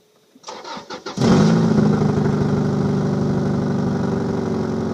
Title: Start Up and Rev of 2002 Subaru Legacy GT 2.5 With Exhaust Leak